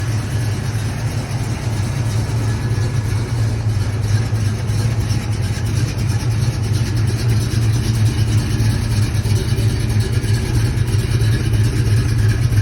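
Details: 1970 Pontiac with iron heads and Rhoads flat-tappet lifters while cruising: deep steady V8 drone with a light even lifter clatter; normal solid flat-tappet sound, nothing wrong.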